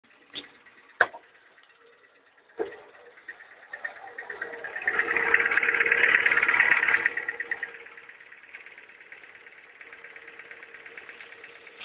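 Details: Ford Fiesta Mk5 engine at idle: a few sharp clicks then steady whirring with fast regular ticking about three per second that swells and fades; owner suspects the power steering pump pulley or crankshaft side; source unconfirmed, burning smell noted.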